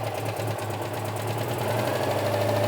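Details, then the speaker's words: Barn-find classic petrol car with points ignition, long stored, just started, now off choke: quiet even idle with steady low hum, no knocks or misses; exhaust intact, normal idle. "that's really quiet isn't it exhaust system's obviously not falling off"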